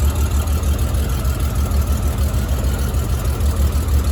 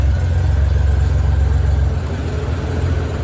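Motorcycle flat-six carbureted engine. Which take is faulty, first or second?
first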